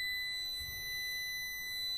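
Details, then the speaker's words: Renault 21 ABS diagnosis: a multimeter on ground continuity at terminal 1 gives a steady, high, unbroken beep, confirming a good ground connection before checking the pump power relay circuit. "Ça bip. Ça veut dire que la continuité est déjà bonne."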